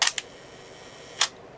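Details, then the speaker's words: Olympus OM-1 film camera (introduced 1972), fully mechanical, no batteries: crisp wind-lever ratchet clicks tensioning the springs, then one clean shutter snap with no drag or rattle; this working body sounds like clockwork, unlike its faulty sister camera. "Sounds like clockwork. It is clockwork. This camera requires no batteries to operate."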